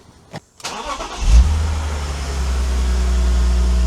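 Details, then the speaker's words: BMW E46 330Ci manual coupe after cooling system refresh (new radiator, water pump, thermostat, belt, pulleys), restarted during coolant bleeding: brief cranking, then it catches cleanly into a steady, even idle with no stumbles or knocks; normal start and idle. "So, we'll start the engine again and do the bleeding one more time."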